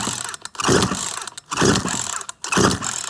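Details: Certified-refurbished Poulan Pro PR4218 42cc 2-cycle chainsaw with an 18-inch bar, chain brake on. Three quick ratcheting rope pulls about a second apart turn it over but never catch; the saw won't start.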